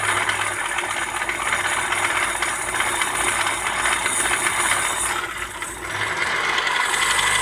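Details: Opel Astra F 1.4 8v Si C14SE revving: loose, uneven metallic rattling, louder with revs, seeming to come from the lower engine; a damaged coolant pump was the cause, and the engine ran quietly after replacement.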